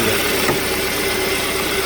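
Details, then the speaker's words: 2014 Hyundai Sonata 2.4, towed in with a flashing MIL, power loss and code P1326 (excessive knock): steady, even idle with a smooth hum and no ticking or knocking, a normal idle; knock sensor suspected of picking up injector EMI. "I never heard anything when I drove it. I don't hear any noises in this engine"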